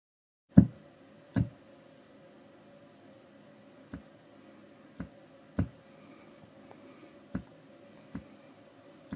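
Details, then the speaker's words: 1966 Fender Super Reverb with new 6L6 power tubes: sharp irregular pops about once a second over amp hum, with blue flashes in time; larger pops with greater bias drift. "The bigger the pops, the more bias drift there is. That little blue light is happening in time with the ticks. The bigger the ticks, the larger the blue light."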